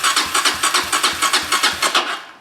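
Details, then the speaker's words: 2003 Honda CRF230F on battery charger, fires up but won't idle or stay running: an uneven popping sputter of about five beats a second that fades as it stalls, running too rich; the carb later needed cleaning and a rebuild. "Uh-oh. That's too rich."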